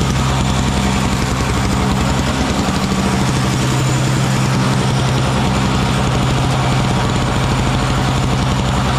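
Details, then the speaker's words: Small Frontier backyard snowblower clearing snow mixed with rocks from a shop floor: loud steady drone with even low hum, holding speed under load without stumbling; running fine. "that little blower works good though doesn't it little Frontier backyard blower I think it works pretty good pretty good"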